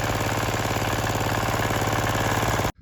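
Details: 178F single-cylinder diesel walk-behind tractor that started poorly after winter, after cleaning and decompressor cover gasket refit, full throttle: quick even thump at steady rate, no misses or knocks, running cleanly under load ploughing until it stops.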